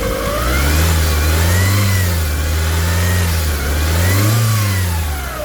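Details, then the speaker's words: 2009 Hyundai Tucson 2.0 petrol engine after top overhaul, first start with only the timing belt fitted, revved by hand at the accelerator; clean engine note rising and falling smoothly with no knocks or ticks, revving healthy. "So subukan natin i-rev ng manual doon sa kanyang accelerator doon."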